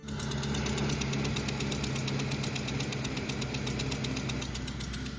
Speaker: This customer came in complaining about poor braking power. Customer states, "Knocking sounds from engine."